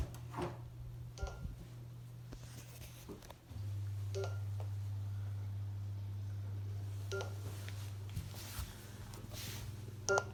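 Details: Neato Botvac D3 robot vacuum: short high beep repeating about every three seconds over low room hum; signalling something, cause unknown.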